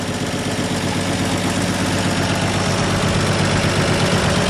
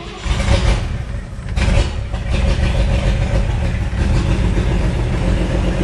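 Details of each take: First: 1958 Chevy Apache with a replacement used engine, first start on gas poured in to get it pulling fuel: low, lumpy idle, about 160 beats a minute, wavering and unsteady. Owner thinks too much fuel was added. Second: 1958 Chevy Apache with a replacement used engine, first start after priming the carburetor with fuel; deep cranking catches and settles into a steady, heavy V8 idle; it runs, though probably over-fuelled.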